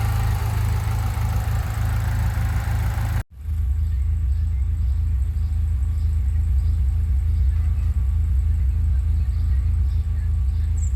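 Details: 1997 BMW E36 318ti (M44B19 four-cylinder petrol) idling with a deep, uneven, pulsing rumble despite new injectors, coil, plugs and sensors, no vacuum leaks, a cleaned throttle body, MAF and ICV, and a repaired DISA; rough idle.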